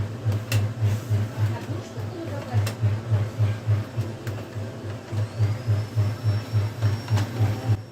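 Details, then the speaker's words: HP LaserJet M426 laser MFP (M402/M426/M428 series) runs very noisily with a heavy, pulsing low rumble about three times a second and occasional sharp crackles, from worn fuser drive gears in the gearbox. "собственно проблема аппарат очень шумно работает гремит иногда даже трещит"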